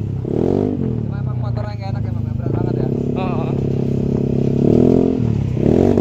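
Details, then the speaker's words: Yamaha NMAX on a road test after repair for stuttering, bogging and stalling: engine pulls cleanly through the revs with no drop at high rpm, no stumbling or sputter; fault fixed. "kalau tadi RPM tinggi Pasti dia ngdrop ya Ini udah enak jauh banget"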